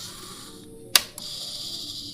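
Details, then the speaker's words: Matsunaga 1000 Watt voltage stabilizer opened up, output measured at 227–228 V: a single sharp click then faint hum, the limit switch engaging properly after its adjusting bolt was loosened and set. "Nah itu bisa kedengeran kan cetaknya itu. Ya kita deketin ke kamera. Kita matikan."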